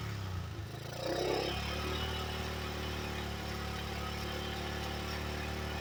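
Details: 1985 Yamaha Moto 4 single-cylinder after fitting a new carburetor in place of the old one: a small rev blip settles into a steady, even idle with no misses or knocks; quiet and healthy, and the owner thinks it's fixed.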